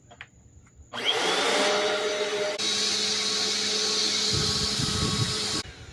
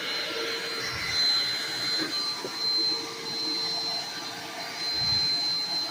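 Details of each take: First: Black and Decker BDLCE101 vacuum cleaner after belt replacement and cleaning: motor spins up to steady even high whir with constant tone, no rubbing or slapping; normal running. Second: Black & Decker BDLCE101 vacuum: loud, steady high-pitched scream from an unloaded motor with no brush-roll thrum; roller brush not spinning, owner suspects broken drive belt.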